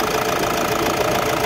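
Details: Toyota Hilux 3.0 diesel after injector replacement and decarbonization: a steady, even idle with the usual light rhythmic injector clatter and no misses or knocks; running healthy.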